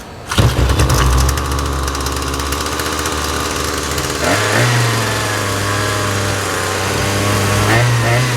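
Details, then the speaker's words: Trash-picked Husqvarna 223L two-stroke string trimmer, older carb with adjustment screws (likely late 1990s–early 2000s), running without the spindle fitted: buzzy engine snaps to life and holds a fast high-pitched idle; idle speed set too high. "seems to run okay it's running a bit fast because it doesn't have a spindle at the end but pretty cool nice trash pick"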